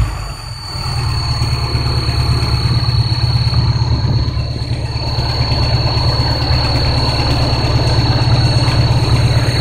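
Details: Škoda 125L petrol engine: a thin, steady high-pitched whistle rides over the low idle rumble.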